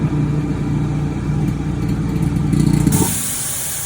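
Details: Eastwood QST 30/60 air compressor before the muffler modification: motor drones steadily, then a loud sharp hiss of air rushes out of the open bleed fitting with no muffler fitted.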